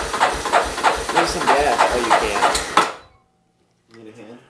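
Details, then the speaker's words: 1988 Yamaha Terrapro 4-wheeler cranked on a jump box showing 12 volts; sluggish cranking at about three strokes a second then stops dead, possible sputter; starter suspected too weak, possibly partly the jump box. "I think what we're going to do guys that starter I think it's not tur it over fast enough first of all could be partly our jump back but our jump box is showing 12 volts which should Wing the sucker over real quick"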